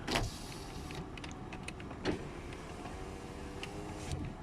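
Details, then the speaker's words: 2010 Toyota 4Runner window motors during pre-purchase inspection on a cold, snowy day: smooth, even electric whir with no grinding, clicking or labouring; windows work, except the rear passenger one, likely frozen from the cold. "all right next try and open all the windows make sure they all do"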